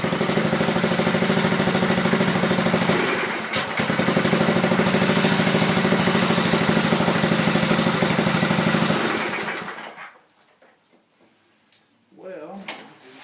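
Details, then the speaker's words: Craftsman 5 HP solid state single-cylinder on a Manco Thunderbird mini bike, with old muffler, lightly revved to avoid engaging clutch: thumps about three beats a second with raspy exhaust, then cuts out; loss of power, owner says it needs rings. "it just as it sits right now it just doesn't seem like it has uh you know the power that it should have"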